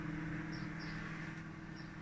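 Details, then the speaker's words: Microwave oven after cleaning and refitting the waveguide cover to cure sparking/arcing, running with water inside: steady low mains hum, even fan whir, no crackling or popping; it heats normally. "see if it's working now. I take it out, see if it's hot. Yes, it's nice and hot."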